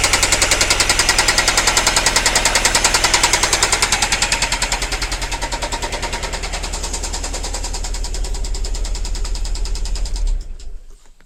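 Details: Nissan Primera P10 SR20 running with loud, sharp, steady hard knocking about three and a half times a second; severe internal engine knock, cause unknown.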